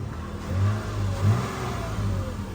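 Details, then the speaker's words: 2010+ Toyota FJ Cruiser after replacing the entire rodent-damaged engine wiring harness; quick throttle blips rise and fall cleanly with no misfire or stumble, sounding stronger than before, idling well, no check engine light yet. "we'll give you some gas man it sounds a lot stronger than um it did before already"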